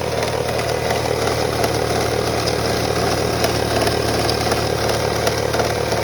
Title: 2001 Toyota Camry rattling sound